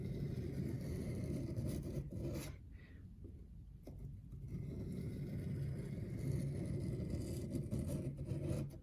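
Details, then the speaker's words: Brand-new reed knife, back side held flat on the angle guide and pulled down a 1500-grit stone with both hands at a constant angle: even, smooth rasping strokes with short pauses; the angle is judged sufficient. "So now I'm going to take both hands and be very careful to maintain the same angle as I then pull the knife down the stone. And we're listening for a smooth grinding sound."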